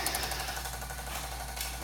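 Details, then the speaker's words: Garage door opener, cover opened, light blinking: rapid, steady rattling chatter many times a second with no motor run-up; won't open and button does nothing, owner suspects the motor, no reset button found. "When I go inside, the motor, it actually sounds like it's the motor."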